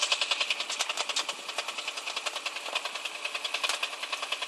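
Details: 135LC idling with a fast, sharp tapping about three and a half knocks a second; knocking from inside the engine, source unknown.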